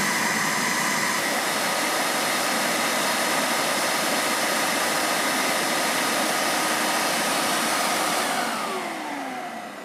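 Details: Hoover Steam Vac Deluxe pump motor, vacuum-driven, after oiling its dry rear bushing: smooth, steady high whir with no grinding or catching, winding down evenly at the end; the pump now runs freely.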